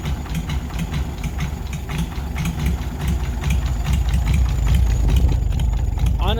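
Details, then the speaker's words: 1940s Oliver 70 tractor, first start in about 12 years after fuel added: sharp regular knock about twice a second over a lumpy idle; sounds like it comes from the top end, owner hopes it is valves he adjusted imperfectly, not confirmed. "that knocking sound it sounds like it's coming from up top maybe when I adjusted these valves I probably should have adjusted them"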